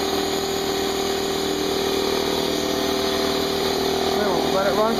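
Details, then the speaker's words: Brand-new Harbor Freight Central Pneumatic 68127 29-gallon 150 psi 2 hp dual-piston compressor on first start, tank drain open (no load), 10-minute break-in, still cold; steady even mid-pitched hum, no knocks or rattles, pretty quiet; normal running. "all plugged in let's turn it on it's actually pretty quiet"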